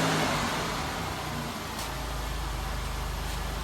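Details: 1996 Buick 3.8 L 3800 V6 after oil pan replacement, just started; settles within two seconds into an even, steady idle with no knocking or ticking. Runs normally.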